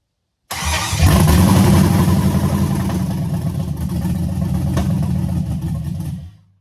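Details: LS-swapped C10 first start after fuel tank and line install, running through a makeshift relay after a blown fuse: it catches after a short crank into a loud, steady, lumpy rumble with even firing pulses. Normal start and idle.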